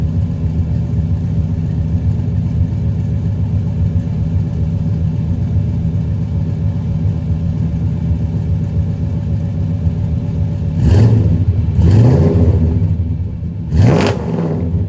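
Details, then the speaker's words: 1995 Chevrolet Impala SS V8 cold start after muffler repair: deep even idle rumble, few quick throttle blips rising and falling cleanly; exhaust solid, no rattles or leaks. "let's give this thing a cold start i can't do an exhaust video without firing it up and having you guys listen to it"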